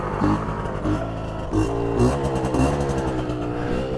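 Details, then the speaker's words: 1981 Suzuki GT250 X7 two-stroke barn find, on its first ride after a full rebuild: clutch slipping, smoke from the right side only, and the engine cutting out. Revs surge and sag unevenly and it stumbles; misfire and loss of power. "Something doesn't seem right. No power. Come on, baby."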